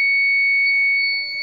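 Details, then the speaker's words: Rahimafroz 6kVA/120V IPS, serviced after an output-voltage failure, on backup with mains off and load attached; long steady high-pitched low-battery beep after 2–3 minutes, as only 4–5 of its 10 batteries are good and the rest are bad. "আর এটা খুবই 2-3 minute পরেই লো দেখানোর কারণ হচ্ছে এখানে আমাদের এটা হচ্ছে 10 ব্যাটারির একটা মেশিন। এখানে প্রায় 4-5টা ব্যাটারি ভালো আছে, আর বাকিগুলোই নষ্ট।"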